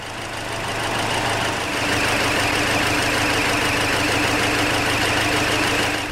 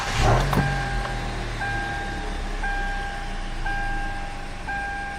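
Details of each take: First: Hyundai Elantra with check engine light on, running really rough and low on power: engine shakes at idle with a lumpy, stumbling beat from one misfiring cylinder, a P0304-type misfire from coil or spark plug. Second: Hyundai Elantra idling smoothly after clearing code P0304 (cylinder 4 misfire), previously rough with low power; steady even idle, dashboard chime repeating. Cause believed to be a bad spark plug installed a month earlier; normal idle after fix.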